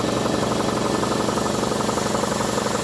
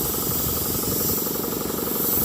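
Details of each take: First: It does. I can hear it building pressure already. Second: Campbell Hausfeld air compressor that had locked up from water damage, cleaned and running again: a steady hiss over the pump's fast chugging as it builds pressure, with air escaping at a bad blowoff valve that needs replacing.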